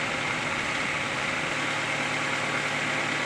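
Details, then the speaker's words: Tracker/Sidekick/Sunrunner engine starting right up and idling steadily with an even hiss after replacing a clogged fuel filter that had partly caused stalling and erratic idle; no surging or stalling, and no leaks. "oh great news is it started right up and it's dry"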